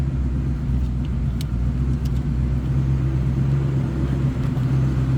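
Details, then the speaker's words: 1965 Ford Mustang convertible 289 V8, cold-blooded, warming up: smooth even low rumble, no ticks or puffs; normal idle. "Nothing crazy over the top of the exhaust. Sounds as it should."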